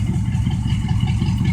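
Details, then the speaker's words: 1972 Oldsmobile 98, 455 big-block V8, warmed up, with a hole in the left muffler; deep, even burble at a steady idle with a regular lope and no misses or knocks, healthy engine. "runs really good really happy with this car"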